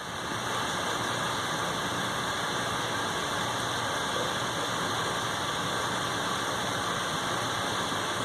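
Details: Steady rough roar with a high thin whine once a Hayward H100ID heater fires, a grinding noise after start-up; cause unknown.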